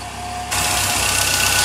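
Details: Triumph TR3A after winter storage: warming up on light choke, outdoors, running nicely while waiting for the electric fan. A steady, even idle under hiss with no misses or knocks; a normal warm-up idle.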